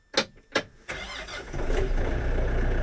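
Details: Kioti RX7320 diesel tractor true cold start in freezing weather after glow plug cycle: a couple of clicks, brief crank, fires and settles into a steady, even low idle; normal cold start.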